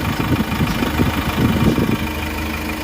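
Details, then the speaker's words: Hyundai H100 diesel after a weak-pull repair and XADO engine treatment: steady idle at about 700 rpm (750–900 is the normal maximum), with even, low clatter and no hunting or misses; normal idle. "Okay, naka-idle lang siya into tingnan nyo yung idle niya, bumaba pa ng 700. Tama, 750 to 800 to 900 ang pinaka-maximum ng idle RPM."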